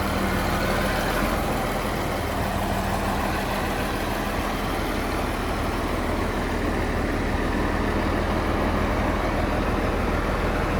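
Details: John Deere JD6081H six-cylinder diesel, 10,739 hours, still installed in a 300D articulated dump truck being parted out for differential problems: steady, even low rumble with no knocks or misses, a healthy cold idle.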